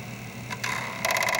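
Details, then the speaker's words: Commodore 1541 drive under diagnostic-cart control: shift-F1 (F2) steps the head all the way back to track one in a rapid, even train of sharp ticks, about fifteen a second; a working stepper, compared against the other drive whose head won't move. "so I have complete control of the stepper motor with this program here I'm just hitting F 3 and F 1 to move it backwards and forward"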